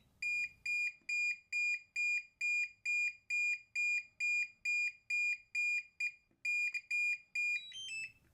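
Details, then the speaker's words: DJI RC-N3/N2 drone controller, internal buzzer about to be disabled: sharp high-pitched beeps repeating about twice a second, evenly spaced; critical alert for low battery or return-to-home. "And now for the main event, the buzzer that we will be disabling. And just as a reference, this is what it sounds like when you have a critical alert like low battery or return to"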